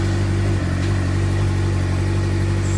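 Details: 2007 Suzuki GSX-R600 after CDI/ECU replacement, jumper cables just disconnected, owner suspects failing stator: steady even engine note with firm low beat, no misses or stumbles; running normally.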